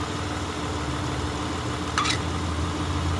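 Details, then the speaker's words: 2004 Honda Odyssey EX, warm engine, after the power steering pump inlet O-ring was replaced to fix a loud pump noise: smooth, steady idle with a faint hum and one short chirp, no pump whine or groan. Healthy idle. "okay so i let the engine warm up and uh coming out here i don't hear that noise anymore"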